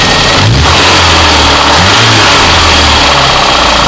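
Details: VAZ 21099 (glass dated 2002, mileage unknown) petrol engine revving with a rough hard knock under the engine note; worn connecting rod bearing, confirmed by checking play with a wrench.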